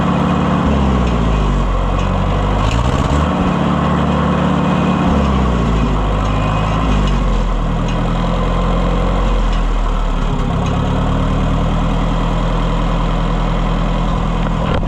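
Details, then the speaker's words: Oliver 550 tractor engine after push-rod repair, valve adjustment and oil change, test run: deep steady engine rises and settles into an even low idle with no knocks or misses; runs much better, normal idle. "Yeah, that thing runs great. Much much much better."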